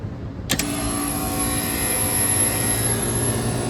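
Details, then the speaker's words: Masterbilt display freezer after replacing both capacitors, the originals suspected zapped by a power surge; sharp click then steady hum with a high whine settling into an even run; compressor starts cleanly; normal compressor start. "Hey, look, she fired right up. Yeah, the cap was bad for sure. I changed them both."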